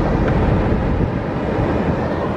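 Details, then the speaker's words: Subaru after a dead battery was replaced with a new AC Delco unit, key out: steady rushing fan whoosh that won't shut off until the battery ground is disconnected; blower stays on with ignition off, BCM failure suspected. "no key fans still going can you hear them"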